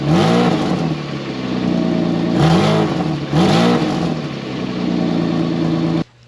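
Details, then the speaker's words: Saturn VUE after welding in a new flex pipe and exhaust section: loud raspy, blatty exhaust as revs rise and fall, from a broken front flex pipe, with a small leak still at the top. "really loud now because of course I couldn't leave well enough alone on that front flex pipe and I had to touch it and play with it and make sure that it was really messed up before I moved on but I do have a little bit of a leak still right up on the top here"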